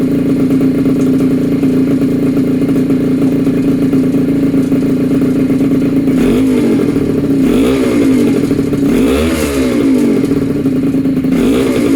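Buzzy small two-stroke holding a steady note, then four sharp blips of the throttle that rise and fall cleanly; it revs freely.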